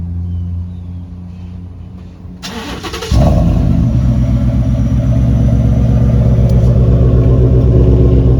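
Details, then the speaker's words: Lifted Ford F150 V8 with muffler cut and straight pipe, started by remote start: starter catches, then loud, deep, even idle with steady low rumble; normal start and idle. "Sounds like a true V8 to me."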